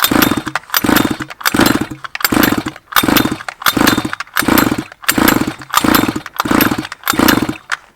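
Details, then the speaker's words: 1/5-scale petrol two-stroke Baja RC car, flooded cylinder, spark plug removed and car turned on its side: quick, even pull-start strokes about 86 a minute, the engine spinning freely without firing as the pulls blow the fuel out. "so what's happening here is we're sending all the fuel down to the head and as we pull it it's this all the pressure is this blown all out all the fuel out"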